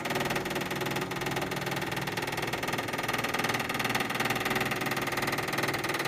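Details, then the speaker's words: Toyota/Lexus hybrid brake bleed after pad replacement, right rear wheel, pedal held down in test mode: bleeder screw loosened and the actuator pump starts, a steady buzzing electric hum with fast even pulsing, filling the bottle; normal pump operation. "I'm going to loosen the bleeder screw and you hear the pump starting to run and you can see it is filling the bottle"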